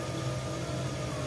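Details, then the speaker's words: Bosch electric drill that kept cutting in and out, after repair with the carbon brushes checked and the cover refitted; steady low motor hum with no cutting out or sputter while the cord is tested, now running normally. "Iya sudah terengar ya kita coba kabelnya tidak ada kendala lagi sudah hidup normal"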